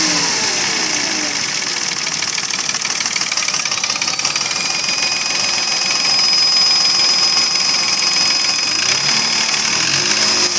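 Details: Mercedes ML320 V6 (M112 3.2) at about 300,000 km at idle: hollow knock about twice a second, constant, unchanged by replaced bearings, chain, tensioner, camshafts and lifters; piston slap from scored cylinder walls.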